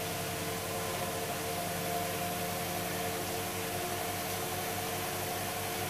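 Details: Hoover Dynamic DXCC69IB3 9 kg washer, final spin, spinning up to full speed: steady even whoosh with soft motor hum, water draining, no knocking, banging or rumble; very quiet, healthy spin.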